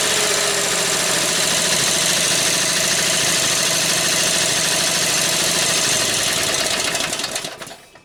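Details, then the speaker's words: Briggs & Stratton opposed-twin with dual carburetors and dual exhaust, main jets changed to lean it after running rich: fast, uneven popping about three a second even when warmed; suspected now too lean; backfire. "Well, now you hear that it backfires, and even once it gets warmed up a little bit, it still has a tendency to do that. So I think I'm a little bit too lean now,"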